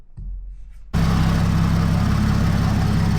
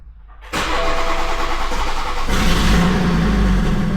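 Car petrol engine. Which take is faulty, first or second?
second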